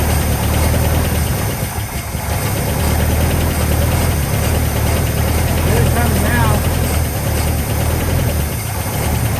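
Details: 1959 Cadillac flattop sat for years, started with only fresh gas added: steady high cold fast idle with coarse uneven exhaust rumble; engine runs well but exhaust sounds terrible.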